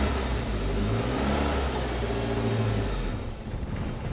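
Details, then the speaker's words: 1988 Saab 900 Turbo after a new starter: strong cranking, then the engine catches and runs unevenly for about three seconds before dying. It won't keep running, cause unknown. "Well, I wish it would keep running, though. [Music] That's a hundred times better than before. I don't know why she doesn't want to stay running, though."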